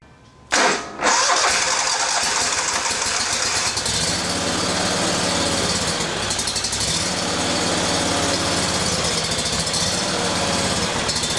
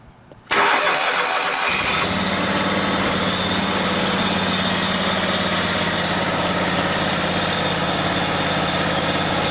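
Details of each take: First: Briggs & Stratton Vanguard 37hp EFI engine, freshly serviced with fresh gas and no trouble codes. It cranks and catches, then the idle lopes, rising and falling every few seconds. The high-pressure fuel pump should put out about 39 psi. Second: Briggs & Stratton Vanguard 37hp big block EFI engine after fuel pump pressure test (target 39 psi): cranks, fires, stumbles briefly clearing air from the fuel line, then runs steady with no surge; surge fixed.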